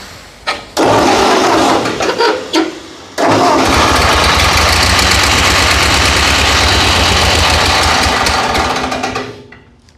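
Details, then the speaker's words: Ford 8N tractor: catches after a false start, then runs loud and rough with an uneven knock over the idle despite 50 psi oil pressure; the water pump is suspected, not confirmed. "It's still Well, I got 50 pounds of oil pressure, so I got oil pressure, but something in there is messed up."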